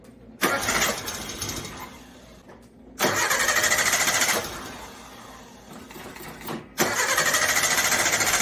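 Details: Carbureted Suzuki Samurai (SJ410/SJ413) that broke down, after the carb power valve was replaced: three long, brisk, even cranking bursts that never fire or catch. Still won't start, cause unknown. Crank no start.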